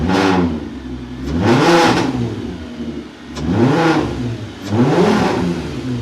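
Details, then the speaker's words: MK4 24-valve VR6 with newly installed ECS Luft-Technik polished cold air intake, just restarted after install; three clean blips rising and falling smoothly with strong intake whoosh on the way up; engine revs healthy. "So in reverse order, let's put the battery back in and start up the car and hear these intake whoosh noises."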